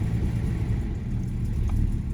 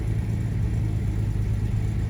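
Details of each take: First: 1975 Jaguar XJ6 coupe (XJC), US California spec, six-cylinder, after sitting, cold start: deep rumble struggles to hold idle, uneven and wandering, held around 1500 rpm; over-choked, choke fault suspected. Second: 1975 Jaguar XJ6 coupe (XJC), US California spec, restarted after sitting, with throttle blips: deep, steady rumble with an even beat, now firing cleanly on all six cylinders; oil pressure good, but it is over-choked and reluctant to idle.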